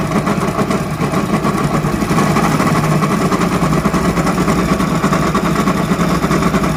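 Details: Hero Honda motorcycle engine idling with a deep, uneven rumbling knock underneath, from a worn crankshaft bearing.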